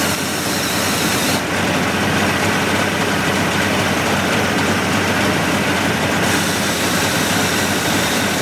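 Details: 1988 Mercury 70 hp inline three-cylinder two-stroke outboard with VRO oil injection, salt-abused engine with carb problems, restarted after work: loud, steady two-stroke roar at even speed without misses or knocks; running properly.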